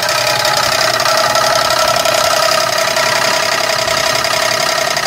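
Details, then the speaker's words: 2001 Chevrolet Monte Carlo SS with a 3800 Series II engine, recorded from under the car at idle: a loud, rapid, steady knock keeping time with the engine over a hard mechanical din, typical of a worn rod bearing. Internal failure; engine to be pulled. "I'm going take you downstairs under the car so you can hear it a little bit better and understand that this isn't you know a regular problem this is you know an internal problem"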